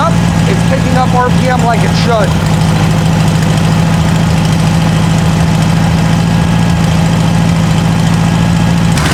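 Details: Circa-1960 VW air-cooled four-cylinder in a Ford Model T kit car, after carburetor replacement, cold and still on choke while fuel is adjusted: steady, even low idle holding speed as it warms; timing still slightly off.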